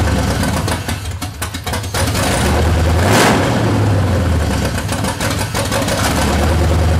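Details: C30 383 stroker V8 just fitted with a high-torque racing starter: revs sag and surge unevenly and it needs throttle to keep running; engine still won't hold idle, cause not stated here.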